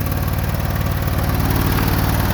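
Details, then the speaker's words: Jump-started on a cold morning after sitting a long time, with flat tires: fast, steady low chugging that sounds strained and needs throttle to keep going, running rough until it starts smoothing out. "oh yeah I knew she'd start good deal she not running too good but it hasn't ran in a long"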